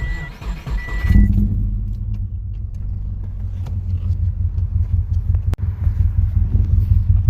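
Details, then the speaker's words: 2006 Subaru Forester EJ25, 5 speed, 260K miles, after head gasket and timing job, no leaks or check engine lights: catches and settles straight into a steady, deep, even rumble with no knocks or misses; normal idle. "And that rumble, man, that rumble is just beautiful. It's just beautiful right here. I'm saying, that rumble."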